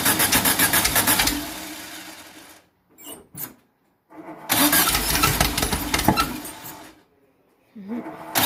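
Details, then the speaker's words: 2332cc VW bug (Dust Buggy) cold start, first firing after carbs cleaned, fresh oil, new oil filter: catches, stumbles, dies, refires and runs roughly with uneven beats; rough running, suspected flooding misfire, not confirmed. "all right now that that's sorted out she'll probably miss fire because she's flooded but we'll see"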